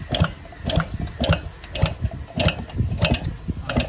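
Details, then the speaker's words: 1960 Suvega 50 cc pedal-start moped, long stored and dusty, on a cold start attempt: steady pedal ratchet clicking with no compression or firing, as the clutch does not engage to turn the engine. "ചവിട്ടുമ്പോൾ clutch പിടിക്കണില്ല അല്ലേ? ഞാൻ എന്താണെന്ന് നോക്കട്ടെ."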